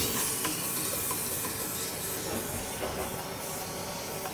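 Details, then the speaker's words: Old boiler, oil converted to a gas conversion burner, being refilled (the fill goes into the return; the feeder is doubtful). Steady airy hiss of air bleeding out; normal venting. "Once we get all the air out of it, we can shut this off here."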